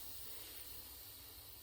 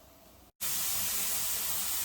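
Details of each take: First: Pressure canner about 40 minutes off the heat after canning tomatoes, gauge removed: a faint, steady airy hiss with no rhythm means a tiny bit of pressure remains, so it is not yet safe to open. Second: My timer has gone off for the 10 minutes for this to be venting. So now all the excess air has come out.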